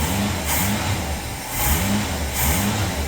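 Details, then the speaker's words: 1966 car, previously spitting, sputtering and dying from a carburetor float needle stuck open; after freeing the needle it fires after a couple of spits and runs steadily, healthy, no fuel leaks. "okay well after a little a couple of little spits and sputters it did fire up and run it is running"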